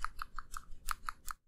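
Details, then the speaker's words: Old versus new PCV valve from a 2002-2003 Lexus ES300 suspected of burning oil, shaken by hand: seven dull, muffled clicks with no crisp rattle, the check ball gummed up; clogged PCV valve. "An old PCV valve, A new PCV valve, You can tell the old one sounds gummed up."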